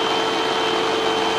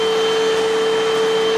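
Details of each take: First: Hoover UH7103 vacuum after clearing clogs in the hose and base: steady even motor whine with airy rush, no surging or choked pitch; running freely, sounding much better than before. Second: Hoover UH7103 upright vacuum running after the dirty filters were cleaned and refitted: strained, steady whistling tone that it shouldn't make, pointing to another clog restricting airflow lower down.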